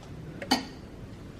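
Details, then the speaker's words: Nissan 350Z built-in self-test cycling through lights, then the AC compressor clutch: two sharp separate clicks about a second apart as the clutch pulls in and releases, normal AC compressor clutch engagement. "Now it's doing the clutch, AC clutch."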